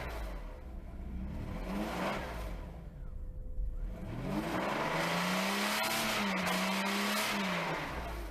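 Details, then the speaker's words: Mercedes-Benz W140 S600 V12 revs up and falls back toward idle with a slight hunting kick before settling; surging idle. Owner suspects a fuel problem, possibly a leaking broken fuel line; unconfirmed. "okay so right now I'm going to let it die nope went right to idle there we go see it just kicks a little bit"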